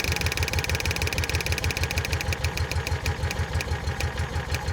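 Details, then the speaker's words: 2004 Kawasaki Mule 3010 after fitting a new fuel line, running. Steady regular low thumping about three beats a second with a fine ticking over it: small engine idles normally. "You want to turn the key on real quick? We will test this out. It's running."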